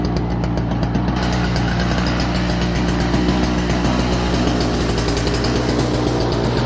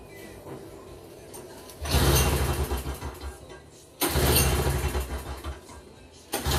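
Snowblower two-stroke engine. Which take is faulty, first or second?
second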